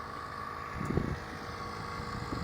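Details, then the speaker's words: 14-year-old Mercedes GL450 air suspension compressor at the front, raising the car noticeably on all four corners: faint steady high hum under wind and low rumble, normal operation. "the air suspension pumping. You can see the car gets noticeably higher on all fours."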